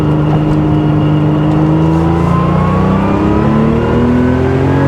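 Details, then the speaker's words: 1979 Porsche 911 SC Targa on its first test drive after a complete engine and transmission overhaul (new synchros): smooth exhaust note climbing steadily in pitch under acceleration, no rattles or misses; healthy engine. "Take it right up the red line. It just wants to go."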